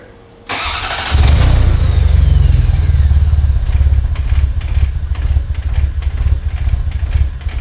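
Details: Ferrari 348 first start after DIY engine-out timing belt major service: catches after short crank, then lumpy surging idle that never settles; running rich on the right side, smoke; harness swap or unhappy computer suspected, unconfirmed.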